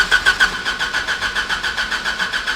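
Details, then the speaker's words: Homemade F1-style race car at the track, not out of fuel, new engine computer, spark suspected missing: steady cranking at about six even pulses a second, never catches; crank no-start. "Ah, I thought for sure if we got cranking Yeah, me too. she'd start up."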